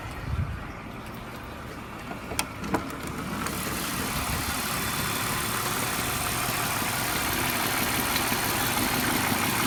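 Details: BMW E46 323i, built 04/1999, M52B25TU engine at idle: constant metallic rattle over running noise despite new Vanos unit with anti-rattle kit, hydraulic lifters, plugs, coils and left and upper chain tensioners; cause not pinned down.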